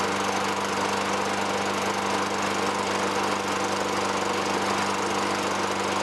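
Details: 2003 Toro Recycler 20016 with Tecumseh 6.5 single-cylinder, a trash find, runs after carb cleaning and removing debris from the gas tank. It holds a steady, even buzz at constant speed with no misses, knocks or hunting. A little smoke lightens.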